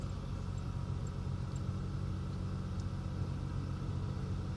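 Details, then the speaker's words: 2003 Ford Taurus 3.0L 24-valve DOHC after a $6 PCV valve fixed high idle (code P1506): smooth, steady cold-start idle near 1,000 rpm, easing down, no misses or hunting; normal. "so we're going to let it come down off the initial RPMs that was at Cold startup and it'll slowly bring it down to the desired RPM"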